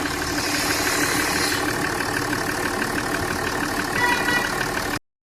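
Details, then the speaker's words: Jaguar XF diesel after oil leak and misfire repair, following a test drive: steady, even idle with no knock or miss, runs smooth; light smoke only from water on the silencer. "बाकी car में कोई problem नहीं है। Car एकदम smooth चल रही है। मैंने ट्रायल भी लिया है इसका। जरा भी नॉकिंग नहीं। साउंड भी इसका सुन सकते हैं आप लोग। साउंड एकदम ही स्मूथ है।"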